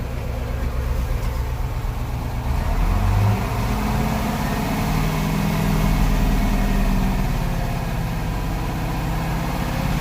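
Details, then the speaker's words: Detroit 8.2L diesel truck, warming up at idle in rain, loaded with logs: rough, uneven, stumbling idle; misfiring with smoke and loss of power, cause not yet found. "started smoking losing power and he said it sounded like it was misfiring"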